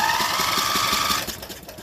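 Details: Craftsman riding mower engine, drive belt removed, spark plug out: starter spins the engine quickly and evenly, about five light beats a second with no compression load; with the plug in it barely cranks, blamed on a faulty camshaft compression release.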